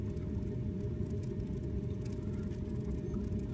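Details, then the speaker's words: Ling LS-100 shaker, running with its cover off during a final acceptance test: a random test at about 1.4 g gives a steady low rumbling hiss. It is very quiet, with no rattles, and stays well within its upper and lower limits; the result is normal. "showing its displacement and you can hear it through very quiet no rattles okay"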